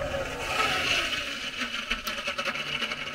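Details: Lennox 90% furnace inducer motor: a steady fan hiss with irregular wet bubbling and popping as condensate backs up into the inducer, with a pressure switch fault; believed due to line blockage and improper trap prime.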